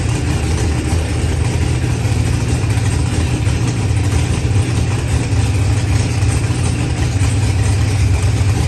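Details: Procharged LS stroker engine with BTR stage four V2 cam, 12.5:1 pistons and ported heads, running after 12-1 crank trigger settings were corrected: deep, even rumble with no misses, knocks or hunting; normal idle.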